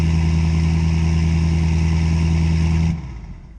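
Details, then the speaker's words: 2017 Ford F-350 6.7L diesel, auction rebuild, running with no intake and a straight-piped five-inch exhaust: deep loud steady drone with no knocks or misses, then a clean shutoff; healthy. "but man this GMO five inch exhaust sounds so nasty straight piped"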